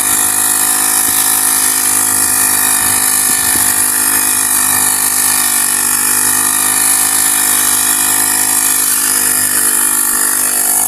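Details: Honda GX35 grass cutter after cleaning its dirty carburetor: small engine holds a steady high buzzing speed with no misses, surges or rattles. Normal running.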